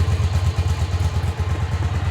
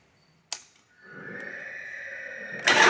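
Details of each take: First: 1985 Yamaha Virago 1100 twin, stored 8 years, after carb, fuel and idle screw work, choke fully off: lumpy, even low thump at steady idle with no knocks or misses; normal idle. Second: 1985 Yamaha Virago 1100 V-twin, sat eight years, with fresh fuel and a new battery: long cranking, then a rough uneven catch that stumbles and picks up, starting only on full choke; owner suspects the carbs need cleaning.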